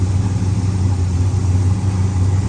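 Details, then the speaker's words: 1970 Pontiac LeMans four-door carbureted V8, parked 30 years, now running: deep steady burble, even low beat, no knocks or misses; sounds pretty good, normal running. "this is a GTO from here forward this is a GTO sounds pretty good don't it"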